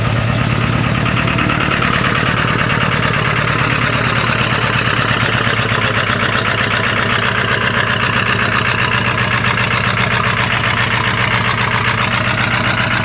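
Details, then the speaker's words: 1997 Ford F-250 XL 7.3L PowerStroke turbo diesel, cold start at 65 degrees: loud, uneven clatter at idle with a lumpy, stumbling beat. The rough running is attributed to bad injectors. "tell you one thing you can lose weight having this TR cuz you know vibrat and shake so much you shake all that fat ass off of you"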